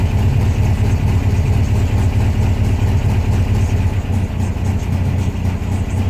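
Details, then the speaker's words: 1972 VW Beetle cold start at 44°F with new heater pipes: starts right up, low even chuffing idle holding steady on choke as it warms and choke opens; healthy cold start. "Alright, that was the choke opening on up. Yeah, see, warmed up. All right, that's it. Start it up, right up."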